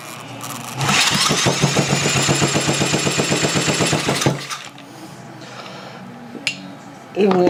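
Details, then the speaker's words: Tecumseh H70 engine with a polished crankshaft, being pulled over: about four strong, even chuffs a second, with compression reading straight to 120 psi; it sounds healthy, unlike before, when it seemed to exhaust through bad valves. "straight to 120 lbs of compression uh and you can hear the difference in it"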